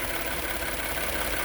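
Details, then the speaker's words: Ford F150 EcoBoost idling after PCV valve and spark plug replacement and gapping, motor completely still: steady, even, smooth idle hum, no stumble or knock; previously slightly rough; normal idle. "It's running a lot better now. Before, you could kind of tell there's a little bit of something. It wasn't like crazy, but it just seemed like something was off when you would look at the motor. But it sounds perfect."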